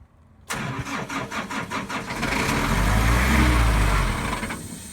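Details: Airman PDS185S portable screw compressor with Nissan diesel industrial engine, after full service and fuel system refill: quick crank, catches at once and settles to an even, steady diesel idle with no knocks or misses; runs healthy.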